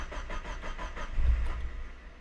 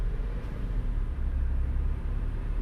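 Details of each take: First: Car with idle settings deliberately detuned; starter churns, engine catches with one surge then immediately dies, stays running only with throttle: stall after start from insufficient idle air. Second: Car after adding 12% idle increase for AC; steady low hum with no dips as AC compressor switches on and off: normal idle with AC on.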